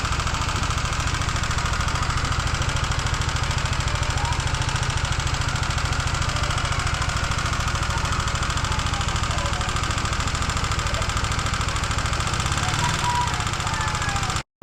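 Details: Honda CBR150R engine at steady idle with a regular knock two to three times a second, like top-end play; owner suspects the intake side, where a part was loose and sand-like debris was found inside, while the exhaust side looked okay.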